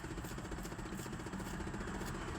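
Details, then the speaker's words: 2008 Chevy Impala during a test run of an Android radio installed in place of the stock radio. Quiet cabin with a soft, rapid, repeating tapping from behind the dash; an HVAC actuator tapping. "Sorry for the actuator. That tapping noise. That's the actual way to doing all that tapping."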